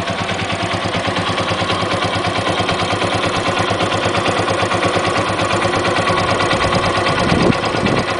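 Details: Yamaha XT125 with 1100 miles, idling: fast, crisp high-pitched clicking from the top of the engine, not present when bought, started recently; owner unsure if normal after run-in.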